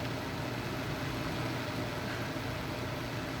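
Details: Replacement induction cooktop at full power, water nearing a rolling boil: steady even rush and low hum with no buzzing, clicking or pulsing; running normally.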